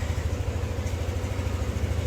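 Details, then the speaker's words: Yamaha NMAX V2 scooter after repair of an engine knocking noise (engine opened, magneto cleaned): low, steady idle putter with even pulses and no knock or rattle. "Yan yung tunog ng makina mga boss, mga master. Mahal kong master. Ito yung tunog ng makina."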